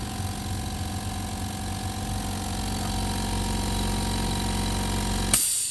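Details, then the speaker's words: Stanley sound-insulated oil-free air compressor, 24 L tank, 1.3 hp, 8 kg pressure, running: low, smooth hum with quick even pulsing, quiet as an air conditioner, no rattle, then it stops abruptly; normal running. "Đó, mọi người thấy không, nó rất là êm, nó êm như tiếng máy lạnh chạy thôi. Đó, một trong những dòng nén khí mà êm nhất thế giới hiện tại bây giờ luôn. Đó, nó sử dụng cái công nghệ cách âm, nó rất là êm."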